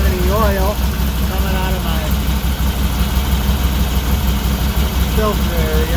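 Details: Can-Am Maverick 1000R Rotax engine at idle right after an oil and filter change, run a few minutes before rechecking the dipstick. Steady, even low idle with a smooth beat and no knocks or ticks; running healthy.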